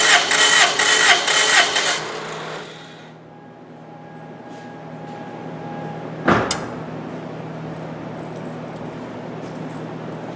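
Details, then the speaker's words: Engine cranking with spark plugs removed at wide open throttle for compression test: about two seconds of quick, even cranking with no firing, then quiet hum and clunk; cylinder reads about 200 psi. "So you're going to put the engine in wide open throttle and crank it for 5 seconds."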